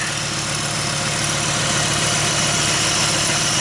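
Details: 1995 Dodge Ram V10 idling with a jumper wire fitted, PCM 8 V feed suspected: steady even idle, constant exhaust hum, no knocks, misses or surging; runs cleanly.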